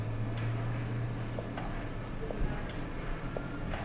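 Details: 2007 Honda Odyssey with EVAP low purge flow codes (P0497), engine stopped, purge control solenoid commanded by a scan-tool actuation test: crisp, evenly spaced clicks about once a second, so the valve responds.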